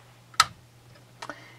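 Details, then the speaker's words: New EVAP purge solenoid for a 2004 Volvo S60R (~190k miles, code P0497), bench-tested off the car with battery power and a hand vacuum pump: three sharp, crisp clicks about a second apart as it opens cleanly. A normal, working valve. "you can hear it as soon as it clicks as soon as I touch it you can hear it click so there's something going on inside the new one which of course is what you'd expect"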